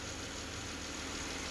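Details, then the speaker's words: 3.6L Pentastar (or Hemi) engine after a ticking/knocking repair, oil gallery plugs now tight, battery just reconnected. Smooth, even idle with a soft steady hum and no ticking or knocking as oil pressure builds; the engine sounds healthy. "but yeah that is freaking quiet let that oil really get up there vbt system guys the oil pump is doing its thing"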